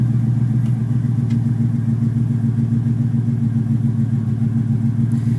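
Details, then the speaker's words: Ford Mustang GT 5.0 V8 that intermittently stalls at idle (owner suspects idle air control motor), just timed; deep steady idle burble, even low beat about three to four pulses a second; fault not appearing, idling smoothly. "I'm going to see if it'll do it right now. Probably not, but we'll try it. All right, it's idling good."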